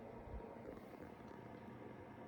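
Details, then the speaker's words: XY-FZ35 35W 25V 5A mini electronic load, load just activated at about 5.3 V: steady, even airy whoosh with no ticking, rubbing or wavering; small onboard cooling fan running normally. "activating the load with this button we on you hear the fan"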